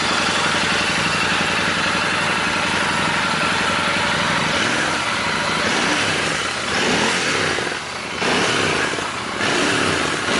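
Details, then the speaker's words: Royal Enfield Interceptor 650 twin on the stock air filter, before the DNA filter swap: even, steady idle with mild intake rush, no knocks or misses; normal idle. "เดี๋ยวให้ฟังเสียงเครื่องเดิมตอนที่ยังไม่ได้เปลี่ยนกองก่อนเนาะ"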